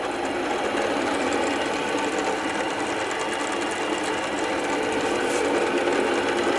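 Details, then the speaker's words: Motorcycle cylinder block being bored on a boring machine, cutter feeding down to about 50.8 mm bore; fast, even cutter chatter at steady pitch, showing an even cut; an uneven cut would sound different. "tampak sekali makan pisaunya rata ya kalau memang Maka nanti soalnya tidak rata maka suaranya pun agak berbeda"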